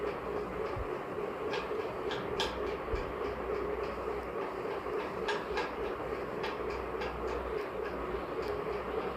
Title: Ceiling Fan Bearing Sound Problem #shorts #ceilingfan #fan